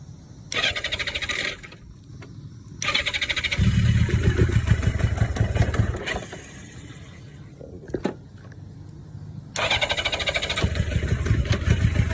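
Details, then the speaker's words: 1982 Yamaha XJ750 with a start-circuit fault: it cranks only with the side stand up and starts only with it down. The starter cranks in short bursts, then the engine catches and runs steadily when the pedal is pushed down mid-crank. Cause undetermined. "now if i literally push this pedal down in the middle while it's cranking it will start"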